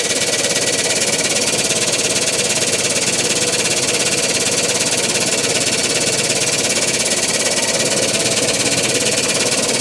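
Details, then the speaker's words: Even, rapid pumping buzz with no knocks or grinding from a new 32-ton Vevor air-over-hydraulic jack just installed in a shop press; much quieter than the old jack, operating normally. "quieter it's a lot quieter don't know whether that really matters"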